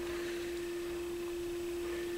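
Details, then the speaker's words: Pioneer PL-50A turntable on 45 rpm, old metal belt had etched the platter and it takes about two minutes to reach speed: steady ~330 Hz test tone wobbling in pitch, severe wow and flutter from speed instability. "stop speed wise look at the wow and flutter it's crazy"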